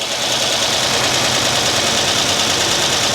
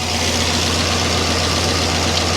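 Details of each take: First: Freshly rebuilt 2006 LS4 5.3 V8 with cam swap in a Monte Carlo SS on first start: fast, rattly lifter tick over the idle that quiets as oil pressure builds. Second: Freshly rebuilt 2006 LS4 5.3 V8 in a Monte Carlo SS just after first start: steady, even idle with no misfires, knocks or air leaks, running healthy before being held at about 2000 rpm to warm up.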